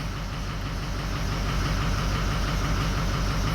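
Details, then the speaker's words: 2004 Ford 6.0L Powerstroke diesel, injectors recently replaced, after a few minutes' running: lumpy idle growing steadily rougher as odd-bank cylinders 7, 3 and 1 drop out. "Okay, see that number 7 dropping out? That's not running the greatest, but it's gonna get worse. Oh, it's just getting worse. Number 3's dropping out. Number 1's dropping out."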